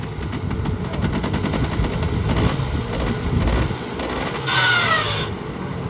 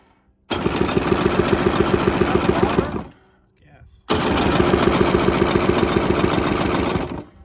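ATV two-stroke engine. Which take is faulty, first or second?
second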